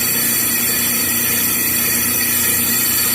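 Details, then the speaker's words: Brake rotor being cut on a lathe, damped with three magnets stuck on its edge (instead of springs or rubber bands): steady hissing cut, high ring held well down, no loud squeal, estimated to remove about 90% of the noise. "it will take i would say 90 of the noise off very simple solution"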